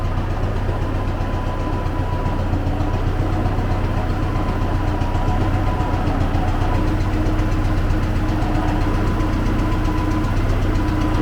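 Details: Old T-40AM tractor diesel, cold start at about -14°C after sitting a month, started with decompressor: rough idle with steady knock about four a second and puffs chuffing back through the air cleaner; knock cause under investigation.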